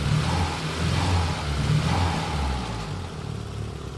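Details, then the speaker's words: Nissan 200SX (S12), 40-year-old single overhead cam turbo engine at idle, with an intermittent dead cylinder number 2; low, lumpy, uneven stumbling note with that cylinder pinging now and then; misfire at idle. "I don't know if there's enough audio quality to tell, but you can actually hear that cylinder ping every now and again."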